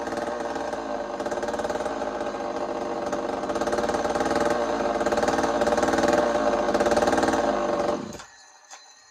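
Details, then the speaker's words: Chainsaw ("Tasman saw") running again after repeat work following a broken-bolt failure; steady high-revving two-stroke snarl holds even and clean for eight seconds before shutting off; owner says it sounds healthy. "So let me show you what Tasman saw sounds like right now. It sounds healthy to me. You tell me what you think."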